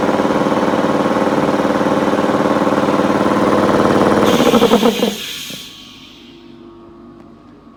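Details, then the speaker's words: Restored piston air compressor with new vibration mount and copper pipe routed behind the pulley for cooling: even smooth pumping hum about four beats a second, then quiet spin-down; normal running. "Послухайте, послухайте, як спочатку ось цей гуде. О, цей буде гарно, тихенько. Це є нове."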